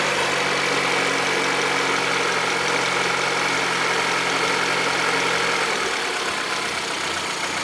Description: застучал двигатель приоры, 2009 год. пробег 37 тыс. Заливал супротек, через 500 км застучал мотор.